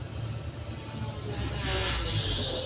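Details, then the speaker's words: Cat 320DL excavator diesel bogs and strains under hydraulic load, nearly shutting down while main relief valve relieves pressure; pump flow overloading engine, causing low power; fix is pump flow adjustment. "okay this is the situation as you can see the merry lip bulb is relieving the pressure but the engine is almost shutting off almost shutting down"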